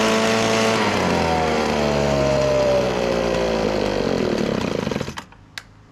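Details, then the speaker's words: Echo PB1000 two-stroke leaf blower, run on fuel shot into the engine: screams high and fast, sags and dies within five seconds; owner suspects partly gummed-up carburetor. "you shoot it and then it's collecting fuel from the actual tank. So that means it's partly gummed up where the carburetor will need some fixing."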